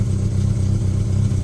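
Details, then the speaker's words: Car power steering pump with engine running while the wheel turns: low steady groan as the spinning pump churns air into the fluid, adding more air; bleed power steering with the engine off. "When all this is on, this is spinning in here, and you end up getting a lot of bubbles in there. So as you're trying to push the air out, you just end up getting more air in the vehicle."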